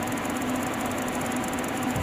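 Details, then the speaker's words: Xforce XT 600-B car amplifier (about 1,400 W, DEI transistors) after repair: thin, steady high-pitched whine over a faint low hum from a noisy switching power supply, present unloaded and persisting under load. Power supply whine. "do make those noises usually from what I've noticed so far we'll have a lot of experience with the switchers but usually I've noticed they make that noise when there's no load being pulled on them"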